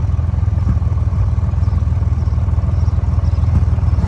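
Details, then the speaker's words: Honda Goldwing after carburetor synchronizing, with the adjusting screw and idle turned until the vacuum gauges match: even low idle with no popping or misfire, then a quick throttle blip; carbs balanced and running smoothly. "As you can hear, it's not popping anymore."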